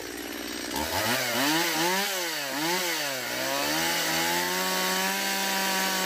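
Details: Stihl MS170 chainsaw under cutting load after a fuel line replacement and a swap from a non-adjustable Chinese carburetor to the original Zama: snaps through quick revs, then holds a clean steady high buzz. It previously wouldn't start; now it runs strong.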